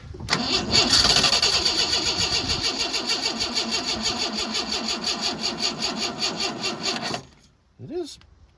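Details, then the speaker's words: 1986 Ford F-150 farm truck, long unused, being revived: starter churns steadily but sluggishly, about three turns a second, and never catches; old, tired battery after a trickle charge and lots of cranking, slow cranking from weak battery. "this battery was tired in the beginning found it on the trickle charger for a while but it was an old bag and we're doing quite a bit of cranking"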